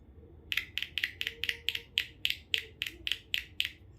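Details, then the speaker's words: Car tweeter speaker tested with a 1.5 V battery touched to its terminals: thirteen sharp crisp clicks about four a second; tweeter responds cleanly, not open-circuit, works. "นี่ครับเสียงดังนะครับแสดงว่าไม่ขาดนะครับแสดงว่าลำโพงแหลมตัวนี้ไม่ขาดนะครับ"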